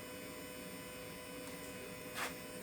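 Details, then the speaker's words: Mechanica Cortini CNC lathe retrofitted to Mach 4, turret tool change: quiet hum, then one sharp click and a softer tick as the self-locking turret indexes and locks. Normal tool changer operation. "so it's self-locking so basically when that does that I know I'm ground out"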